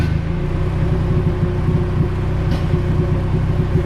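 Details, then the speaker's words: Honda Civic with Rev9 eBay turbo kit on dyno, low-quality RC injectors, 20° timing at 8 psi, idle duty adjusted, hesitant first crank: loud low idle with uneven lumpy pulse; rough idle blamed on the injectors. "uh these rc injectors kind of aren't the greatest but they do work they just don't idle and as smoothly as like a good injector"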